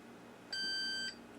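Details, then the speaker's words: Admiral 30B1 radio chassis power switch tested with a multimeter on continuity beep. Tone sounds only near the detent point, drops out, then chirps again; intermittent switch, possibly damaged by a past overcurrent event. "There only is when I'm at that brief point right before the detent. So if I kind of hold it right here, it's good, but otherwise it's bad."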